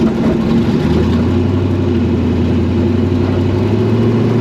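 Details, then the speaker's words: AWD Honda Civic driving after a TPS (throttle position sensor) issue was resolved: surging is gone, the throttle no longer jumps to 5+%, and the engine pulls with a steady, climbing drone and no hesitation. Smooth acceleration. "I can actually just lay into the throttle nice to get going. It's not, you know, jumping automatically to 5+% or whatever the hell is going on."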